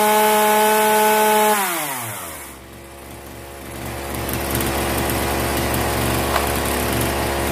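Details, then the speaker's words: Zenoah 3800 chainsaw after tightening the T screw and resetting the mixture screws: high steady full-throttle buzz dropping smoothly to a clean, even idle, no hunting or stumbling; carburetor roughly right. "이렇게 하면 지금 대충은 맞았구요 이제 전체적으로 다 어 조립을 한 다음에 다시 한번 해보겠습니다"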